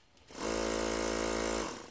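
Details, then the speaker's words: Ungar Hot VAC Model 4000 vacuum pump, which previously would not start, after repair; quick start into an even, steady buzzing hum that winds down cleanly, blowing air with suction, running normally. "get a pump that runs blowing air out at a fairly significant pace and has some suction"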